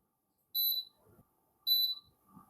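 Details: Two crisp high beeps about a second apart as a fan's speed and mode buttons are pressed after repair (it previously tripped power on switch-on), soft handling noise between; the control panel responds normally.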